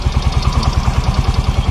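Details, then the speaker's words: Yamaha Mio Fino 125 scooter idling with a steady thump about eight per second and a light regular valve tick, louder when revved; excessive valve clearance. "Nah di sini langsung saja ke permasalahannya ini permasalahan bisa teman-teman Dengerin nih ini Suaranya berisik nih lebih jelas dari sini nih ini saat posisi stasioner"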